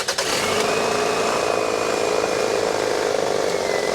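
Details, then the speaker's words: 2001 Toyota Camry 2.2L petrol engine idles after the wobbly harmonic balancer (crankshaft pulley) was replaced and belts aligned; a steady, even hum with the belt squeal gone. "And there you go. The squeal is gone. All right, well, it sounds great."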